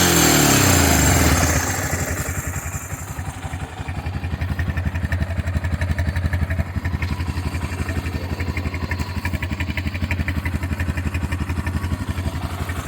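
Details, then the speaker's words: Honda FourTrax 300 ATV, fuel-injection swap with smaller injector, rebuilt fuel system after long storage: single fires with a revving burst, then even thumping idle about four beats a second; stock NGK DPR7EA plug suggests still slightly rich, owner unsure. "so far she's still running a little rich but there's a little white spot on the side so it's still running a little rich maybe with the smaller injector but we'll have to see"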